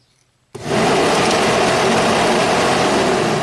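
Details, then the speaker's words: 1991 Audi turbo wagon cooling fan driven directly by test light to pin one of the relay, whooshing up to a loud, steady full-speed rush with no rattle or wobble; the fan motor, resistor and ground are good on high speed. "that's definitely high speed now where is that Relay can we hear it click before the fan kicks on"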